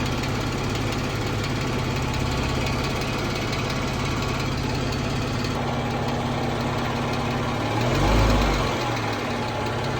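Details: 2014 Jeep Wrangler 3.6 Pentastar with a quick light ticking of three to four per second over idle, continuing through a short rev; owner asks whether rocker arm or valve tick, cause unknown.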